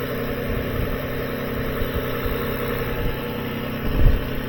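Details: 2007 Lexus ES 350 idling with all accessories on during an alternator voltage drop test (B+ 0.1 V): a steady, even low hum with no knocks, misses or surging. Normal idle; the battery had drained, not the alternator.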